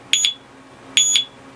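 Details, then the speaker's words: Urban UR6 alarm disc lock on a Victory Empulse TT, armed and jostled: two sharp high double chirps about a second apart; motion warning beeps before the full alarm. "if you shake it if you jostle it enough the alarm is gonna it's gonna it's gonna warn you or go off"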